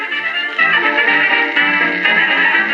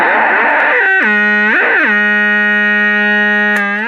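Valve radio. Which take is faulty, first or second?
second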